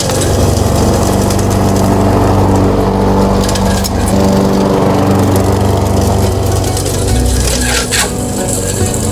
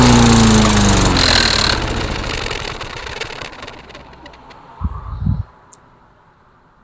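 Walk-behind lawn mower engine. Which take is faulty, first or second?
second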